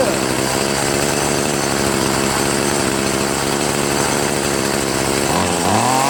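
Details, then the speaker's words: Troy-Bilt TB70SS 33cc two-stroke trimmer after hi/lo carburettor mixture screw adjustment: a high, even buzzing rev holds steady without stumbling, then eases off, and it restarts. Normal running. "Pretty good. Let's see if it starts up again. I'm pretty surprised. That was pretty cool."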